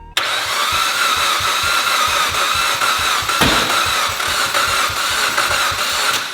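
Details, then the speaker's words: Mitsubishi Lancer Evolution that won't run: fast cranking with a lopsided beat and no firing; sounds down a cylinder or two on compression, later found mechanically broken inside the engine. "All right, no go. This thing is not going to start. Based off of just cranking it, it sounds like it's down a cylinder or two, meaning a cylinder or two has no compression."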